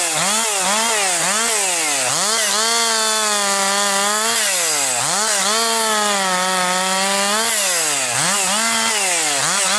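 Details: Rebuilt Husqvarna 262XP chainsaw, nearly broken in, really woke up over the last couple tanks with decent pull, bucking dry, dusty pine; crisp high revs bog slightly into each cut and snap back quickly between cuts; normal running under load.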